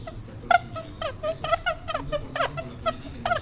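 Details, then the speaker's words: Bottle capping machine chuck with rubber insert gripping and turning a cap: short, high rubbery squeaks about twice a second, normal friction grip of the rubber, not a fault. "eso que rechina No es otra cosa más que La goma está haciendo este está reduciendo el coeficiente de FR a prác perfectamente bien la tapa"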